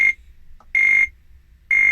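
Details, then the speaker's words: Atari 520STFM at power-on: a high beep repeating about once a second, each lasting a third of a second, with the keyboard light flashing; it keeps beeping with another keyboard, pointing to a startup fault. "Okay, so turning the machine on, you can hear that rhythmic beep, and you can also, if you have a look, you can see that keyboard light just flashing away,"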